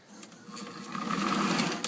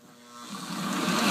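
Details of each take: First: Old post-war Lionel 2037 locomotive, beat-up, running on the track before cleanup: a small motor whirs up, runs loud and rough with a gritty grinding edge, then fades with a few clicks. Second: Old postwar Lionel 2037 locomotive after disassembly, gear cleaning and reassembly: the small motor spins up to an even, steady buzz with no stutter, running smoothly where it was jumping before cleaning.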